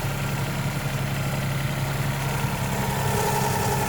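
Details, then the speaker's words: Geo Metro idling after intake, head and exhaust gasket replacement: slight steady whine over the engine, louder under throttle; owner suspects the possibly original water pump, belt recently loosened. Whine at idle, source unconfirmed. "a little bit of a whine. I might just have to get the water to it. Not terrible. A little bit of whine. More when you get on it."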